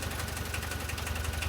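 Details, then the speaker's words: VW T3 diesel running again after many years, following cleaning and refitting of injection pump parts (lines, distributors, solenoid, throttle linkage); adjustments still needed, engine sometimes cuts out. Even diesel clatter at idle, regular firing pulses, no misses or knocks: normal diesel idle. "So, if you hear it's running sturdy, it's going."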